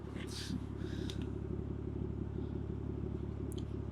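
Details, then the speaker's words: Toyota Mark II JZX110 1JZ-GTE at warm idle after refurbished turbo refit: steady low idle with a fast puffing chuff about three per second, exhaust blowing badly, possibly where the downpipe doesn't quite meet the mid-pipe; slight exhaust smoke and intercooler pipe rattle noted. "Exhaust is blowing badly, but I can get that sorted, that ain't an issue."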